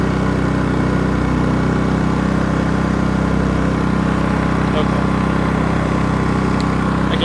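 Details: Generator rated 3200 W starting / 2900 W running, in regular (not eco) mode, idling unloaded while showing 125 volts, before starting a 15,000 BTU A/C fitted with a Dometic hard start capacitor; steady drone at constant pitch with no hunting, normal.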